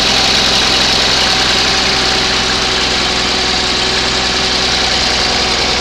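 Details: 20HP Onan engine, first start after a rebuild, following an earlier attempt with suspected no spark: even, steady idle with a clean firing rhythm and no knocks or misses; normal running.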